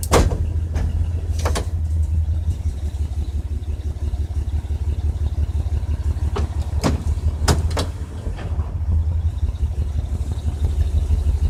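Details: 1992 Ford Econoline E-150, 4.9 L inline six, after Hurricane Irma: low, lumpy idle with an uneven pulse and sharp clicks, rough in drive and park. Lucas oil additive brought no improvement; cause not yet found.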